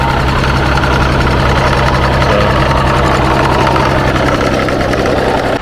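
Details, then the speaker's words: MG ZS 180 with a KV6 V6 and an aftermarket exhaust: loud, busy idle with a fast, uneven tapping, a noise this engine shouldn't make; owners suspect the intake manifold's internals have broken up, not confirmed. "We we got the engine started and then there's a a noise that a KV6 shouldn't make. It's like a very loud tapping noise."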